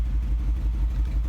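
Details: 2010 Mercedes-Benz engine idling with an uneven, loping beat, low thump stumbling and dropping beats irregularly; check engine and transmission warning lights on, cause unknown after many mechanics — engine misfire.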